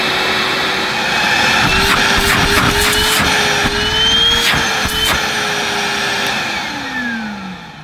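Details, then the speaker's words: New Numatic NBV240 commercial cordless vacuum switched to low then high speed: clean steady whine stepping up in pitch, then winding down smoothly; motor healthy at both speeds. "I'm going to select low speed and then high speed."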